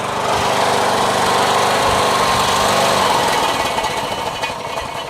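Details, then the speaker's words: Poulan riding mower with Briggs & Stratton engine, running at speed: harsh, buzzy metallic rattle from a loose inner baffle sheet rattling inside the muffler; muffler later replaced, old one welded. "So it's loose in there, right? So every time the engine's running, it's going, you know, so you got this metal sheet metal just rattling around in there. It just sounds like crap, you know what I mean?"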